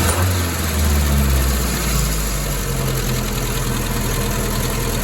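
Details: 1961 Triumph TR3A, twin SU carburetors, idling after a Gunson ColorTune mixture adjustment brought the flame to blue: steady, even low idle with smooth rumble, no misses or stumbles; mixture sounds properly set.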